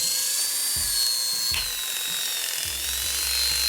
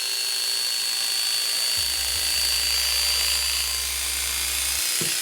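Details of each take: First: Hair clipper fitted with an unoiled, rusted orange blade that had sat unused and was stuck: high, thin, strained, labored buzz; dry blade dragging for lack of oil. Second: Hair clipper after oiling a previously dry, rusted, unsharpened blade: steady high-pitched buzz that picks up speed and evens out; freer running once lubricated, though blade still dull.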